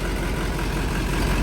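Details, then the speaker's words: LBZ Duramax drag truck (472 charger, 150-over injectors, 12 mm pump) first run after build: deep diesel idle with slightly uneven, lumpy beat; rough idle from air still in the fuel system. "It sounds good. That doesn't sound good. We still got air in the system and everything else, but"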